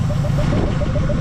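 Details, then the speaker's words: Mazda B2200 pickup, first start after 20 years sitting, with a new fuel system (new fuel lines, pump, fuel cell and filter) and still on 20-year-old thin oil: an even, low, steady idle with no knocks or misses. Normal idle. "yeah she runs look at that guy she's running and she's freaking idling tell me how good that is listen to that 20 years 20 years she said and she's purring like a kitten"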